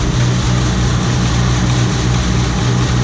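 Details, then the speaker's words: Combine in 2019 wheat harvest, cranked up to full throttle: steady, deep, even drone at working speed with no knocks or surging; running good. "Hell yeah, she's running good. Crank it wide open."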